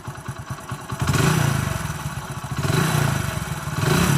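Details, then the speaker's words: Telugu mechanic's reference bike with no smoke: even single-cylinder putter at idle, then smooth, clean rises and falls in revs with no knocks or rattles. The engine is in perfect condition. "మనం బండి raise చేస్తే మనకి ఈ type అయితే అవుతుందన్నమాట. మనకు బండి raise చేయకుండా సైలెంట్గా ఉంటే బండి ఎట్లుంటుంది అనేది కూడా చూపిస్తాం మీకు."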